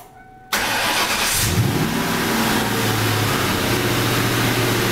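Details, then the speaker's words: Engine in 1994 Mustang Cobra starting to a rough idle with a low uneven knock worsening over time, first heard driving to smog after revving hard while warming; owner suspects rod knock from spun rod bearing, unconfirmed. "but i'm going to start it so you can hear it but it's definitely a rod knocking probably spun a bearing more than likely"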